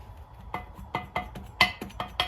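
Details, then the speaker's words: Cylinder head from the Kohler twin-cylinder engine of a 1992 Bolens GT2000 tractor, rocked on a flat plate while one side is held down: sharp metallic clanks about two a second; the head is warped, amount unmeasured without a feeler gauge. "there you can hear, as I'm holding down the other side, that one is warped there. Not sure how much by, and you'd need a feeler gauge to tell,"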